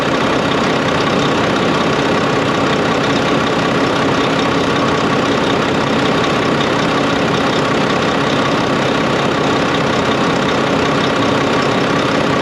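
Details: Volvo VNL D13 truck idling after a new O-ring was fitted and the nuts tightened. The loud windy noise from the pipe, heard after an accident, came from a crimped, improperly seated O-ring. Now an even diesel idle without the windy whoosh.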